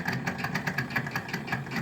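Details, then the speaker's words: Daewoo refrigerator evaporator fan motor, previously noisy a year ago and cleaned, fan blades fell off from vibration: fast regular ticking about five or six a second with a thin high chirp; noisy fan motor. "hoy les traigo información acerca de un refrigerador que le está sonando el motor"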